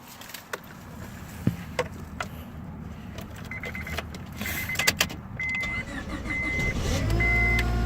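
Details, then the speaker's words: 2001 Honda Civic DX after starter replacement: a few quiet clicks, short crank, then the engine catches and settles into a steady even idle; normal start and idle. "And there it is. That's how you replace a starter in a 2001 Honda Civic."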